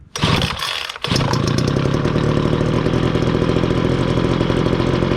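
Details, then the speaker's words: Brand-new Homelite 2-cycle gas blower/vac, first start, moved to half choke after three pulls on full choke: the small two-stroke catches and settles into a steady, even buzz; runs clean and healthy. "I'm gonna put it to full choke position, and then we're gonna start it up until you hear it start, until it starts moving to half choke, and with 10 seconds to run."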